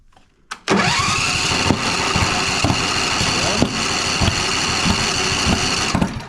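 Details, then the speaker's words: John Deere Z335E zero-turn mower: it runs rough, with irregular sharp pops and clanks from one cylinder; a stuck valve or bent pushrod is suspected. "It's an interesting one. Doesn't sound so good. Sounds like maybe a valve is stuck, push rod's bent."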